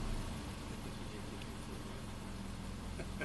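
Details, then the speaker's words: 2005 Subaru Forester 2.5L manual, hot idle at 650 RPM with the owner's high-idle complaint: a smooth, even low hum that drops right back down after a throttle tap, no surging; fuel trims are perfect and it sounds normal. "Well, I'm just gonna tap the gas here. Comes right back down. It's good. Sounds normal."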